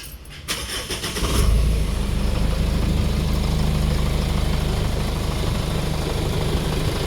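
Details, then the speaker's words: Jeep KJ Cherokee 2.8 VM Motori diesel after timing belt replacement and belt idler fix, cold start: cranks, catches and settles into steady low diesel clatter with no belt squeal; normal idle. "The belt doesn't squeak when you start it up cold. Give it another rep."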